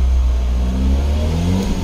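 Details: 2012 Mini Cooper 1.6L manual, after crank-no-start with low fuel pressure: engine revs smoothly from idle, even and clean with no knocks or stumbles; normal engine revving.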